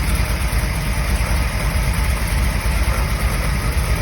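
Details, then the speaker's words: 1977 Chevy Camaro after an American Autowire harness install, warming past about 169°F as one electric cooling fan kicks on: a heavy, even idle rumble with a steady rush of air; normal. "Okay, there it goes. Just kicked off. This fan is a lot quieter."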